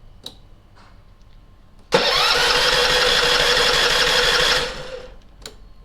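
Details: Small generator, several years old, serviced after a flat battery and sitting empty of fuel, refuelled with a bit of choke: brief starter crank, catches cleanly, steady even run then shutdown; healthy electric start.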